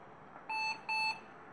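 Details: IBM with a Western Digital Caviar 40GB IDE hard drive gives two clean equal high beeps at switch-on and then can't use the drive; a boot fault, possibly the hard drive.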